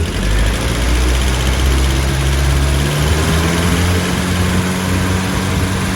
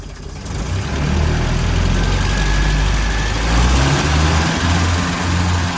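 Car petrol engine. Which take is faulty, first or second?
second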